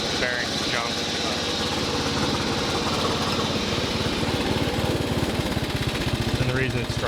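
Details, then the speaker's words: 1990s Craftsman 6-speed lawn tractor with Briggs engine, restored flip: the small single-cylinder surges in a rough brr-brr rhythm instead of holding steady revs. Owner is unsure it's at full RPM; cause unconfirmed. "reason it's struggling there to run is because I don't know if I'm full RPM, but you can kind of see the belt down in there."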